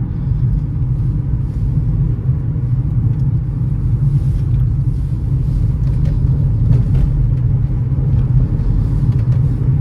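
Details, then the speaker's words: 2017 Hyundai Solaris 1.6 automatic, 83,000 km, transmission warmed up, manual mode downshifting fifth to first while driving: steady low engine drone under road rumble with no clunks, flare or slipping; all gears shift normally. "Пятая на понижение четвёртая вторая первая все передачи у нас листаются прекрасно"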